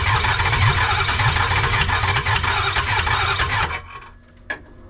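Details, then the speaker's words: 6.0 Powerstroke diesel in 2005 Ford F250 conversion, after swapping FICM: cranks about three beats a second for nearly four seconds, never fires; new FICM didn't help, compression test next, low compression suspected. "The new ficum did not work. So the next step we're gonna go ahead and do is gonna go ahead and do a compression test and see what kind of compression we have."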